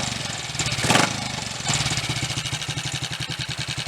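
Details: Triumph Tiger Cub single-cylinder after fixing a misfire, with the charging system ruled out: steady, even thumping at about six beats a second with no skipped or stumbling beats. It runs clean.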